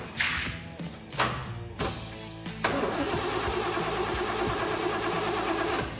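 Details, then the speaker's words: 454 GM performance crate motor in El Camino, mechanical advance, being started to set timing: starter cranks in short bursts then a long steady crank, never catches; no spark, power present on both sides of ballast resistor. "Don't tell me now it doesn't have spark. It doesn't have spark."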